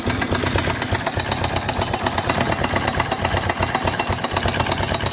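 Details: Suzuki DR 750 single-cylinder at idle: a hard, even knock on every beat, a couple or so per second. Knocking with no known cause.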